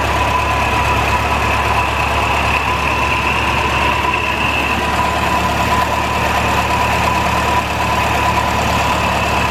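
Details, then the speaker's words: 1949 Ferguson TO-20, Continental Z120 four-cylinder, sat 15-30 years, just revived after cleaning carburetor filter goo, run briefly without coolant: steady low idle rumble with constant thin high whine; owner suspects bad generator bearings. "wow sounds like the generator bearings are really bad though that sounded pretty rough"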